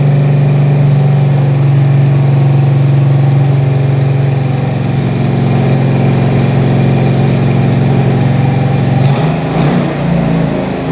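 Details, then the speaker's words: 1968 Mustang Fastback 351W, run after 25 years, cam bedded in, warmed up, after fitting missing torque converter-to-flexplate nuts that caused chatter: deep even V8 burble, no knocks or chatter, smooth exhaust note — normal idle. "We've bed the cam in, run it up to temperature a couple of times now. Engine sounds sweet. We've got a nice tone coming out the exhaust."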